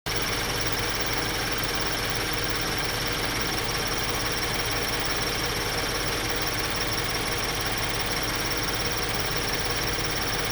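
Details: 2013 Scion FR-S petrol engine at warm idle after about 30 mostly-freeway miles: light, fast chirping over the hum, absent on cold start and at highway speed, present at low speed, parked or in neutral; J02 recall done 1,400 miles earlier, owner unsure if rod-knock precursor.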